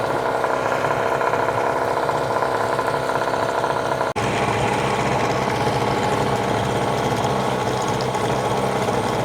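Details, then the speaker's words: Hangkai 18 hp two-stroke outboard, new after a year parked, at fast idle during 10-minute break-in, run in a trash can with no load, extra oil in gas; steady buzzy idle, constant pitch, no misses or knocks, healthy. "Okay, so it's at a fast idle for 10 minutes. We're going to get a lot more smoke now with this much oil in the gas, but that's to be expected."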